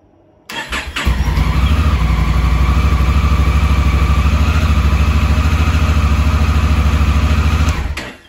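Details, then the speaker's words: 2017 Honda Africa Twin, 11,000 miles, after cleaning the carbon-fouled starter switch: starter catches at once, engine fires, settles into a steady, even idle, then shuts off cleanly; normal start, stall-after-start fixed. "uh but yeah as you can see from video uh it starts fine now so i should have done it um last year but never got around to it"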